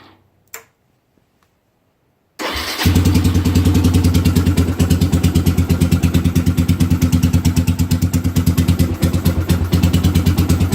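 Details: 2007 Suzuki GZ250 after fixing no-crank fault (orange kill-switch wire partly cut near chain, bridged): silence, starter catches, single settles into steady even thump about three beats a second; starts and idles fine.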